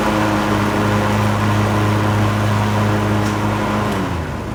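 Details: Cub Cadet LTX1040 lawn tractor, Kohler Courage single-cylinder, after repair of mouse-related engine fire (coil, fan, air filter housing, valve cover gasket replaced, carb cleaned): steady single-cylinder hum at constant speed, pitch falling smoothly as it slows; runs healthy.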